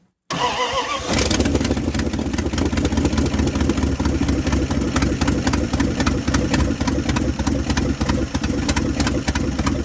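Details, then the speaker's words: 1978 Dodge D100 Step Side after fuel pump swap, carburetor bowls hand-filled: cranks and catches, then very low, lumpy idle close to stalling; owner suspects mixture or stuck floats, unconfirmed. "It's idling very very low. Let's see if it's probably the mixture, too."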